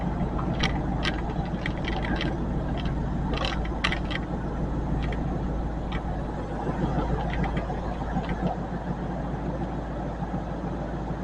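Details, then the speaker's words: 2000 Ford F150 4.6 V8, freshly repaired and just driven in after about four weeks of work: steady idle with sharp uneven ticking puffs over the rumble, otherwise running fine; exhaust leak. "you can hear the exhaust leak well not run any bad so we just got a few little bugs to work out of it"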